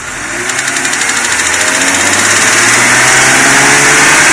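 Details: BMW M52 six revving: fast, even light tappet-like ticking that quickens with rpm. It starts only at 85°C or more, has grown louder over six months, and persisted after new hydraulic tappets and guides. Hot oil pressure is only 2.25 bar at 5000 rpm.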